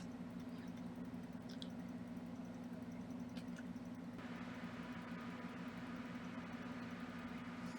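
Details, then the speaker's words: Xbox Series S cooling fan after a potentiometer mod to control fan speed, with the speed being raised. Quiet, steady hum joined by a faint higher whir, with no rattle or scraping. Normal fan running. "And we are going to raise the the speed just to be like hearing the fan a little bit more faster, but it's not very loud."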